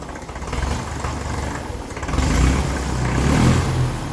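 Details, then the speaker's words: 1954 Ferguson TEF 20 diesel tractor after timing adjustment: diesel rattle rising and falling with throttle, harsh and loud at the pipe. The poor-quality silencer gives little muffling; there is more power now, and possibly some air still in the fuel system. "the silencer is not good quality I would tell him to change that it's not doing a whole lot of silencing but it's definitely a bit more powerful now since we've adjusted that in"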